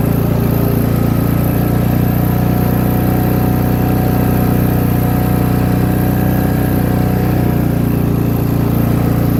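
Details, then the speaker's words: Free MTD lawn tractor with variable-speed drive, engine just reassembled, original battery, smoked at first then cleared: steady, fast even engine note without hunting or misfire; idling high, owner plans to lower idle. "and it's definitely idling hi guy trying get that Idol down a bit and we'll go from there"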